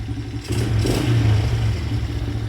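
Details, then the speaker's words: Two-stroke dirt bike after the idle was adjusted, with the carb bowl gasket leaking fuel and the throttle grip sticking slightly. A crisp buzz climbs cleanly and drops back without stumbling, with no smoke. Normal revving. "This thing runs perfectly. I guess the throttle sticks a little bit there."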